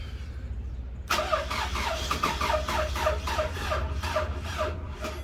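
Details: 2005 Toyota Camry 2.4 with a weak battery at 11.7 V key-on: starter spins the engine at an even, slightly slow rhythm, about three turns a second, never catching; crank no-start.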